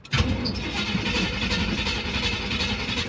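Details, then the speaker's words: 1974 Chevrolet C20 small-block V8, sat about 3 years: steady starter cranking for about three seconds with no catch or firing. Cranks but won't start; no fuel being pulled, fuel filter nearly empty despite priming shots. "we're not pulling any fuel G is there nothing in the bowl I mean in the filter just a little bit it's shot in there twice but you keep cranking it and it's like it's getting nothing not like it's pulling fuel"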